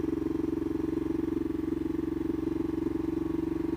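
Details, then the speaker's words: Kawasaki KLR single-cylinder after carburetor repair, morning start after sitting overnight: steady, even thumping at a settled idle with no misses, knocks or surging; normal idle. "The bike started out okay, which means it was sitting there all night, which means I had time to do funky stuff if it needed to, but so far so good, as you can hear."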